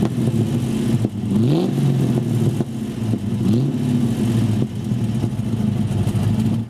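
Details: Rover SD1 engine before a temporary top-hose repair, being blipped: revs climb and fall unevenly with some clatter underneath; poor response and rough running, cause not pinned down.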